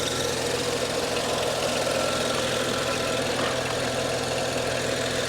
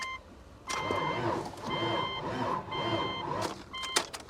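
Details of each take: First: BMW 135i, low mileage (about 50K miles), stick shift, rear-wheel drive, stock, hail-damaged: steady, even idle with a smooth low hum and no stumbles or knocks. Normal idle; mechanically solid. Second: Vehicle at auction, booster pack connected: starter whines and drags in slow, heavy surges, about three bursts, and never catches; labored cranking with no start, engine suspected possibly seized, not confirmed.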